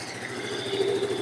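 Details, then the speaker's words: First-generation carbureted Yamaha Mio, after carburetor service: starts easily into a soft, steady idle with an even beat, no stumbles or popping; the earlier hard starting is cured. "เคสตาร์ทดูนะครับโอเคสตาร์ทง่ายเลยครับเสียงนิ่มขึ้นเลย"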